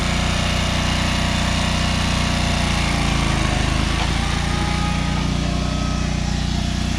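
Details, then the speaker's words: Free John Deere 425 all-wheel-steer garden tractor, just revived, running briefly with no coolant in the radiator: steady, even low thrum with no knocks, misses or squeals; normal running. "so the answer to can I get a free John Deere 425 running is yes I'm so happy that that started up"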